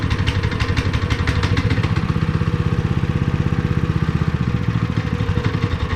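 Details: Honda GX160 5.5 hp on long-sitting concrete finisher, after new fuel line and cleaned spark plug, fuel primed in cylinder, warming up: single-cylinder chugs with steady even low putter, running cleanly at settled idle.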